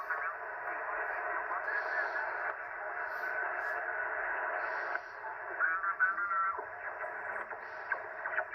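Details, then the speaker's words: Ham radio receiver: steady raspy buzz with warbling tones; RF interference traced to a Ryobi battery charger, with security cameras and a TV used as a monitor also making noise. "Alright, so we're going to flip the power back on here in a minute, but what we found was a Ryobi charger, and also my security cameras are making noise a lot."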